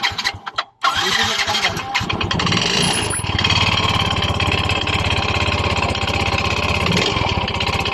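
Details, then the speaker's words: Yamaha Mio i 125 scooter, sudden engine noise that began a few weeks ago: engine starts, then a loud, fast, even bottom-end knock over the running engine; owner unsure whether piston slap or connecting rod, to be confirmed by teardown. "Sa tingin niyo guys saan kaya nanggagaling ang malaking ingay ng kanyang makina kasi magkapareho lang po ang tunog ng piston slap at saka connecting rod"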